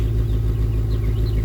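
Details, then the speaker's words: Buick Rainier at idle after swap to custom Flowmaster exhaust with resonator retained; deep even rumble, steady low beat, no rattles or ticks; exhaust sounds healthy, much better. "Let's see what it sounds like. I'm kind of curious. We'll see if it dies. Not bad. Not bad at all, actually."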